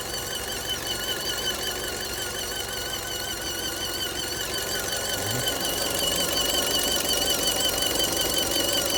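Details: Fiat engine bay: steady engine with a fast, fairly even tapping near 160 per minute and a high, thin squeal riding over it; source unclear; abnormal engine noise.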